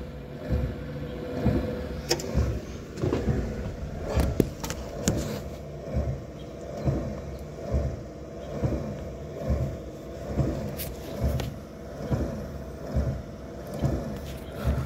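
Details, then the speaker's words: Dodge Dart after wiper motor replacement and linkage arm reattached, first test: even motor hum swelling and easing about once a second with each sweep, no clunks or binding; wiper runs properly. "right, I think it's working. Good deal."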